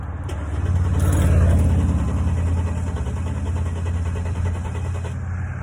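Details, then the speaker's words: Mercedes-Benz W204 C300 no-start at roadside: steady fast starter cranking, about three turns a second, never catches; engine spins freely but won't fire, fuel delivery suspected. "it's real bad it won't start a crank will won't start so I diagnosed it right here on the side of the road"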